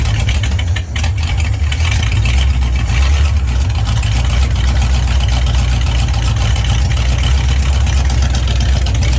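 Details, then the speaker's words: Freshly built prewar 21-stud Ford flathead V8 with original Winfield cam, Arco dual-carb intake, ported stock-bore engine, custom headers, first startup: deep, loud, even low rumble at idle without knocks or misses. Normal idle. "Oh my god, it sounds so bad ass. Turn off the ignition before you fry the coil. Holy crap, my heart is racing like a freighter. That thing sounds wicked."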